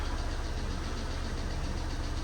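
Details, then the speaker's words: 2012 Citroen C3 White Edition (Cat N) at steady idle after reassembly with cam cover refitted: faint quick light ticking over a low hum, valve tappet tick still slightly present but quieter, sounding better than before. "Do you know what? It's still a little bit tappy, isn't it? But I actually do think that's sounding a lot better."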